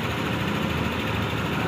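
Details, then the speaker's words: Yamaha NMAX V2 scooter, about 46,000 km, after rocker arm replacement for noisy engine: low even idle rumble, no ticking or clatter; engine now quiet and healthy. "Tahimik na tahimik."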